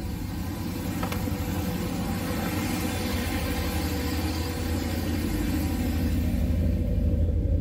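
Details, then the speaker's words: Boosted 408 LS V8, 9.3:1 compression, stage 2 cam (228/230 duration, .585 lift), fuel pressure 43, recorded outside on the third start: deep, loud, loping rumble about three beats a second, no knocks or misses; normal idle. "so pretty good rumble there actually so that's good it's actually pretty loud"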